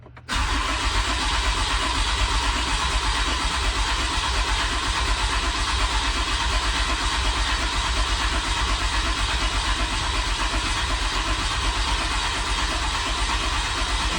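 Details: Ram 5500 diesel after a major engine repair for a failed engine, started on a jump box because the batteries were low, with desired vs actual rail pressure monitored. Short crank, then a steady, even diesel idle clatter; normal start and idle.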